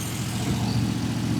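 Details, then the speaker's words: 1932 Ford 5-window coupe after a new MSD coil fixed its dying problem: steady V8 idle with a light, fast ticking chatter from the solid-lifter cam, awfully chattery but normal valvetrain clatter, nothing wrong. "You can sure hear those uh that solid lifter cam in there. It's awfully chattery."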